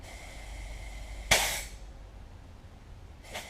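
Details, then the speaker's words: Cummins ISM fan clutch (International truck) with shop air blown in: two short sharp hisses escape straight away as air leaks out past the relief port, so the fan clutch diaphragm leaks. "i i don't know whether you can hear it what i did is i blow air pressure into it and it's still leaking out that relief port on the"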